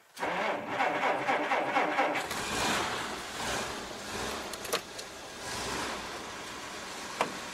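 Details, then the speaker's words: 1947 Dodge fitted with fatter battery cables: about two seconds of steady cranking, turning over better than before, then it fires cleanly on choke and settles into a smooth run with the choke pushed in. "once it fires it's fine choke straight in chokes been put back in and it's fine well it definitely it definitely turned over better yeah it sounds great"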